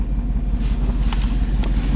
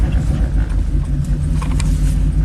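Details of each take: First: Chevy Silverado 3500 dually dump truck, 6.0L Vortec gas V8, about 20 years old, 40k miles, after aftermarket plugs and injectors: idle with uneven, loping beat and recurring stumble; scanner counts cylinders one and eight, but it is a single-cylinder misfire on number one. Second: Chevy Silverado 3500 dually dump truck, 6.0L Vortec gas V8, about 20 years old, 40k miles. After the misfire repair, with the injector now working and cold fuel, a deep steady rumble that holds under gentle revs with no stumble. The engine runs smoothly.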